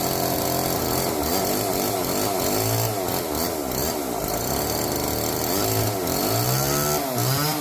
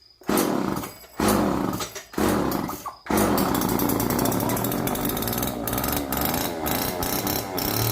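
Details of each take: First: Old neglected Homelite chainsaw revived from seized, now with bar, oil and loosened chain, cutting kindling: revs surge and sag unevenly, never settle to idle; runs rough, won't idle, cuts okay, could use carburettor tuning. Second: Old neglected Homelite chainsaw, previously seized and left outdoors, first start on fresh race-fuel mix without bar and chain: catches after a few pulls, crisp two-stroke revs rising and falling smoothly, no misses; sounds healthy.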